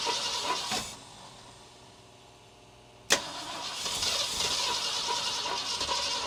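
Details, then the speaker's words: 1966 Ford Galaxie 500 revival, fuel fed by hand, new spark plugs and wires, firing order checked: cranks, catches with a pop, runs with an uneven, lumpy beat; rough running, cause not yet pinned down. "Well, she runs. She doesn't run that well, but hey, she makes noise."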